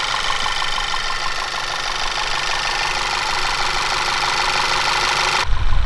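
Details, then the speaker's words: VW-group 1.8/2.0 TSI/TFSI engine rebuilt with new pistons and thicker oil rings to cure oil consumption: even idle with light steady valvetrain tick, no knock or misfire; runs healthy. "I forget to record the first start but I'm just going to show you how it runs"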